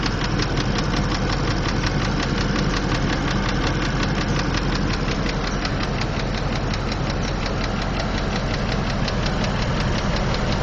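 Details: 2003 Land Rover Discovery II engine ticking at idle, a fast light tick over a low rumble; runs smoother after adding Lucas Heavy Duty Oil Stabilizer but still sounds like a Harley while driving and at rest; oil leak noted.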